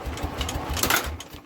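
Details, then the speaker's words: Norman engine on a scrap-yard generator set, fuel in the primer, throttle held open while cranking; rhythmic starter chugs about six a second, turns over but won't fire, carb brass part possibly missing. "now none whatsoever all right we will be back and we will have another look at this but for some reason we're not even getting a fire out"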